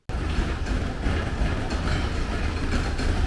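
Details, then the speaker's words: 1979 Porsche 924 engine, first run after sitting, fuel just added: uneven chuffing idle that hunts and stumbles, nothing mechanical heard; rough running. "not running very well but it is running i don't hear anything bad in there maybe i just gotta clean itself out"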